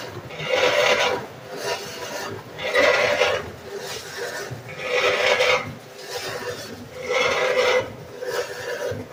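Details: GE washing machine: a harsh rasping grind in bursts roughly every two seconds as the drum turns back and forth; something is grinding inside the washer.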